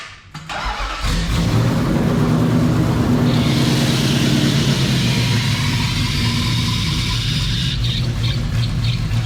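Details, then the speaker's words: 1971 Nissan Skyline 2000GTX with Hartley Nissan VK56 V8, 500HP, eight individual throttle bodies, first start: harsh loud rasp with sharp puffing crackle at fast idle, smoky; exhaust leaking because headers fitted without gaskets. "So, yeah, the exhaust is off because it's got no gasket headers or anything, header gaskets or anything"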